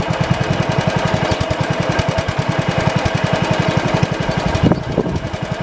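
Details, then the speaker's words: 1971 International 110 tractor with running issues: engine thumps steadily with a sharp snapping tick on each beat, heard but not seen arcing from a chafed spark plug lead; owner plans to tape the wire. "I'll watch it. I don't see it sparking, but I hear it sparking."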